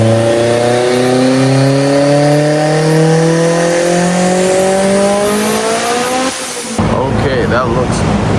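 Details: Haltech-tuned Mitsubishi Evo on the dyno after gapping the spark plugs down: engine climbs smoothly through the revs with no stumble or cut; earlier cut fixed, healthy full-throttle pull.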